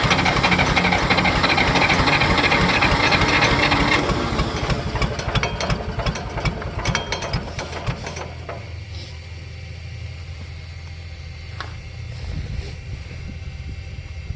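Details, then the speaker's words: John Deere cold start after a shot of starting fluid: rapid, regular cranking chatter at about three beats a second that never catches, then dies away; the engine is flooded and temperamental, and the carburetor may have to come off. "Okay, I'm going to turn the gas on. You can't turn it on because of the flooding."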